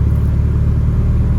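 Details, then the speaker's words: Mitsubishi Evo 9 after repairs cleared all codes: deep smooth steady idle, no dips or hunting, idle unchanged by AC on or off; healthy. "Idle's still the same. Turn the AC off. Idle's still the same. I like it."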